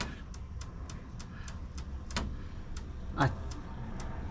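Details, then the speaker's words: 1970 Chevy Chevelle GM A-body frame being straightened with jacks during restomod: sharp creaks and snaps roughly every quarter second, one louder crack midway, as force is applied after some bolts broke; something creaking under strain, cause unknown. "Yeah, I don't know what that is. Something's creaking."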